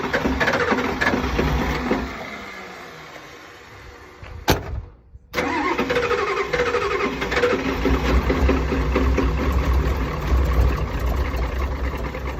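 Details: Super hard start: several seconds of labouring cranking that slows and fades, a pause, then the engine catches and settles to an uneven idle.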